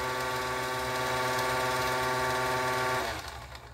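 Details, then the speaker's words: Singer 431G sewing machine with internal motor converted to low voltage; steady whirring drone with a rough purr, then spins down; noise possibly from debris in a channel; gear drag noise. "it's just those are the feed dogs that's the noise it makes I think maybe hear the uh Bob and case that's really the noisiest"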